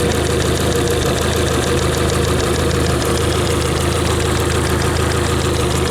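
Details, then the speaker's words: Yamaha F60 outboard running on two cylinders with the cylinder 3 and 4 plugs removed. A sharp metallic tapping about three times a second stays steady at idle; the knock is unchanged and comes from the crankshaft area. Piston knock from a tight wrist pin. "зазоры клапанов Я уже проверил чуть-чуть поправил но ситуация не поменялась мотор стучит как и в нагрузку так и на сбросе"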